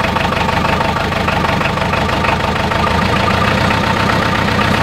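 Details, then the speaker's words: Diesel tractor after clearing clogged fuel line by blowing air back through it and bleeding the injector pump: catches and settles into steady even clatter, firm low thrum, no misses; normal running. "all right she's running out well we got at least we got fuel fitted to the fuel bowl"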